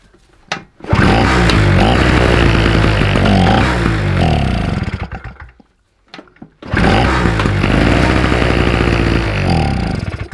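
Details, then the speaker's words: 2-stroke SIP generator that suddenly stopped working, started with switch cleaner: it catches and runs rough for about four seconds, dies, then fires again briefly. The owner suspects bad petrol and poor flow from the tank. "around in it it's going for a little bit longer each time I reckon that petrol might not be very good won't even got any flow from tank"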